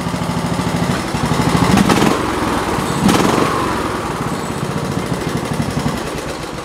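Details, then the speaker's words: Lawn tractor with newly installed small single-cylinder engine, just after first start: steady, even, quick regular beat with no knocks or misses; runs really well. Needs a fuel shut-off valve, as it floods with fuel. "we're going to start it up. Actually runs really well."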